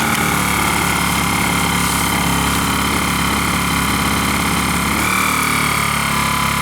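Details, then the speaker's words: Zipper ZI-STE1000INV 1 kW inverter generator, first start after filling and choke, running with no load before warm-up: quiet, steady hum with a high buzzy whirr settling slightly near the end; smooth, very quiet normal idle. "Вы слышите, как тихонько он работает. Вообще, это ну один из самых тихих, которых я вообще встречал ."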